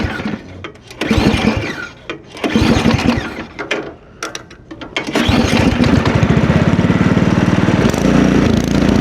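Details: Ariens Deluxe two-stage snowblower with LCT 254cc engine, started cold with prime and choke at about 20°F outdoors, sputters then surges up and down unevenly before a fast uneven beat; sometimes stalls at idle; suspected lean fuel condition, clogged idle jet.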